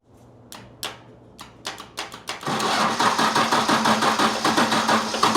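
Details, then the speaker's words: 1995 Dodge with 12-valve Cummins diesel after refitting the injection pump, first start with coolant added. Slow cranking strokes, then it fires and climbs to a loud, busy roar instead of settling: the diesel tried to run away. "Okay. Well, we have good and bad news. Good news, it runs. Bad news, it tried to run away from us."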